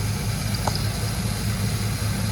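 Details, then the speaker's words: One-owner 2002 Land Rover Discovery II, 4.0-litre V8, 103,000 miles, oil apparently freshly changed: quiet, smooth burble at idle with an even low pulse and no ticking or knocking, a healthy engine. "I mean, that's a happy little motor. With, again, 103,000 miles, you know, I would expect it to be as well."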